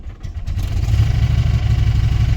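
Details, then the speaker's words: 1994 Chrysler Town & Country van rescued from a junkyard after sitting since 2021, first start with good oil pressure; uneven pulsing low throb and rattle, running on about two cylinders, owner thinks motor is bad, cause unknown; fuel leaking. "I don't think the motor's any good. That don't sound very good to me. It's also running on like 2 cylinders."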